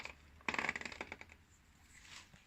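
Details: Kawasaki VN750 final drive: half-second burst of light metallic clicks from the dry rubber damper chattering against metal; fixed by greasing the rubber-to-metal mating points.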